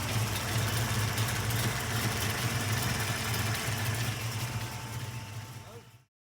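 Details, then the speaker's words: Ford 347 stroker V8 (9.5:1 compression, 205cc 11R heads, Ford Motorsport intake, 750 carb) with Anderson N91 cam: loud lumpy, choppy "popping popcorn" idle, running fine; a collector exhaust leak is also noted. "look at that Anderson cam there you right there shout out out to Anderson Ford Motorsport you ain't ly that n91 is sounding awesome"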